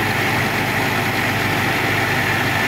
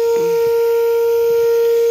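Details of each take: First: Old Caterpillar diesel after overheating, radiator topped up with water, overheat light no longer blinking: steady, even idle with a constant low drone, no knocks or surging; normal idle. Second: Old Caterpillar engine, shut off after overheating: a loud, steady, single-pitch horn-like tone blows continuously from the radiator along with hot air as it boils over, fading away as it cools.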